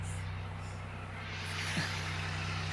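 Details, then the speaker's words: 2007 Buick LaCrosse just after water pump replacement, engine warm and wet from repair: it kicks into high idle with a steady, even low hum, no knocks, rattles or squeal; the noise it made for two years is gone; normal high idle. "That's a high idle it just kicked into, though, isn't it? There it goes."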